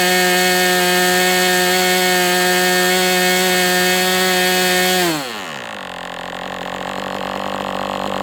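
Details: MDS 68 FS Pro four-stroke glow model engine on break-in, one full tank over cold and hot runs. High, steady buzz holds dead even, then winds down smoothly as the tank runs dry, heavy exhaust smoke. Questionable carb (idle screw tampered) just needed tuning; nice-running engine.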